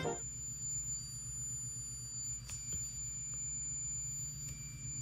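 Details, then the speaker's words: Emerson M2336 cheap record player emits a faint, steady, high-pitched screeching whistle whenever plugged in; a commenter suggests function switch crosstalk bleed-over from oxidized or dirty switches, possibly failing capacitors; unconfirmed. "And here is the biggest problem. The record player was emitting this high-pitched screeching sound every time I plugged it in."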